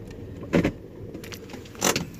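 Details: 2014 Toyota Vios/Yaris driven over speed bumps: two sharp hollow clunks about a second apart from under the car at the front wheels; something loose in front suspension.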